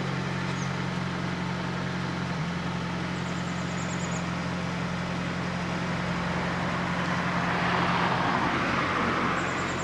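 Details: Fiat Panda 4x4 Sisley fuel-injected cold start at about minus two °C, clutch pressed; steady, smooth low idle hum with no knocks or misses; normal healthy cold idle.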